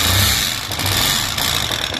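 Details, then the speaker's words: Bajaj Discover small single at idle: busy light ticking rattle from the top end although cam chain and tensioner are fine; suspected rocker arm, the small needle-pin bearings had come out of the rocker arm — rocker arm needle bearing noise. "यह Bajaj discover इसके add से sound आ रहा है नॉज आ रहा है जबकि इसका केम चन और टेंशनर दोनों ठीक है तो मुझे इसके रोक आम में डाउट लग रहा है"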